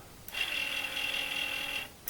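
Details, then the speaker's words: Commodore 8050 dual disk drive, restored from a non-working state: thin, high, steady whirring squeal from the spindle bearing itself, heard with the door open; much quieter than its earlier screeching. "see the drive the door is open so it's not the top of the spindle but it's a spindle itself"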